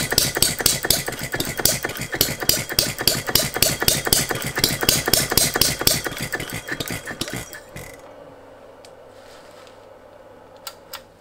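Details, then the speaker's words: Philip Duclos Odds n Ends hit-and-miss model engine: sharp rapid firing about three a second that never picks up speed before dying away. The governor is latching and capping speed, so the owner then restricted it. "but i found that the governor's latching on stopping it from increasing the speed"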